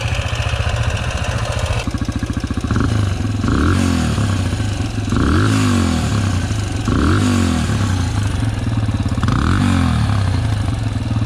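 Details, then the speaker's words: Yamaha TTR125 big-bore 150cc kit with Mikuni VM24 carb, starting hard and running rich: single-cylinder revs rough with loose clattery note; owner suspects crank bearings or loose valve lash. "oh that sounds rough well the bike's running but unsure what that noise is crank bearings maybe"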